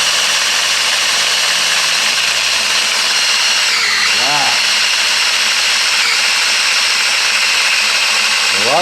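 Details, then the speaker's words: Keith Black aluminum 572 Hemi on the build stand after heads, rockers and pushrods were installed, oil system primed with a drill and new gauges fitted: steady even high drill whir under load, no labouring, lots of oil flowing; normal pump priming. "lot of oil going through there, folks."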